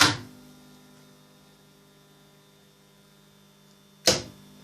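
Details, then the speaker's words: High-voltage supply, switching on the variac contactor: two sharp clicks about four seconds apart over a faint hum. The contactor latches, then the 3-phase soft starter is shorted out to give the variac full voltage. Normal switching. "There are 2 clicks. The first click was when I turned it on, and that contactor latches. And the next one, the soft starter gets shorted out."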